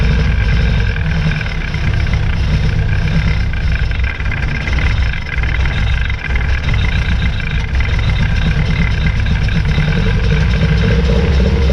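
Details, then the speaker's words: 1966 Austin Healey Sprite, first start after new ignition switch and battery, carburetor bowls hand-filled: low, lumpy idle with occasional dropped pulses, missing at idle; good oil pressure, tank drop and tune-up planned. "all right so now we're going to probably drop the tank do a full tuneup on it cuz as you can tell it is missing but it held good oil pressure everything"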